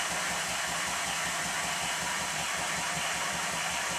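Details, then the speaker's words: Minnie-type model traction engine, previously fired boiler, test-run on compressed air despite excessive crankshaft side play (connecting rod stops crank web hitting bulkhead) still to fix: quick even exhaust beat, light steady gear rattle, no knocking; runs very well, normal. "however even in this state it runs very well I'll stop talking again so you can have a listen"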